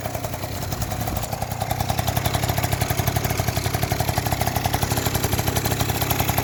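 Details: Yamaha Jog two-stroke scooter that wouldn't start, after cleaning the spark plug and tightening the cylinder head: catches, builds up, settles into quick even buzzing putter; starts and idles normally.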